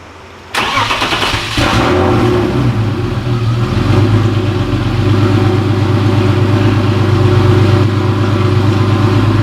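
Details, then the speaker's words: BMW straight six, turbo, just after an M50 intake manifold swap, started not fully cold (driven in): it catches at once and settles into an even, steady idle with no hiss or stumble. Vacuum is perfect and there are no leaks; not yet tested under load or boost. "So it runs, Vacuum pressure is perfect. It's actually even a little bit better on startup."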